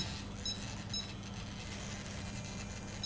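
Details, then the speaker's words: Futaba CGY760R helicopter gyro setup: the rudder servo growls with a steady low buzz when the steering-angle setting is raised too far, stretching the linkage and overloading the servo; reduced to about 115% to stop it. "If you increase this much, the servo will start growling. If this is the case, the linkage is now stretched and the load is applied to the rudder servo."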